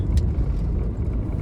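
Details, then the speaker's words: Vista after rear shock replacement, driven on a rough road: only a dull steady road rumble, no rear rattling knock; the earlier kada-kada sound from the back over bumps is fixed. "ഇപ്പോൾ ഒരു സൗണ്ടും ഇപ്പോൾ ബാക്കിൽ നിന്ന് കിട്ടുന്നില്ല. അത് customer നല്ലൊരു irritating സൗണ്ടായിരുന്നു വണ്ടി ഓടിക്കുമ്പോൾ."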